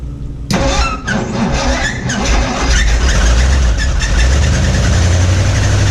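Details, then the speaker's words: 1961 Mercury Meteor first start in decades after new parts: catches after a short crank and runs rough with a heavy low knock; oil pressure light on, no oil pressure, oil pump shaft under distributor found broken. "But yeah, it ran, but didn't have no oil pressure. I was like, what's all that noise? And it makes sense now."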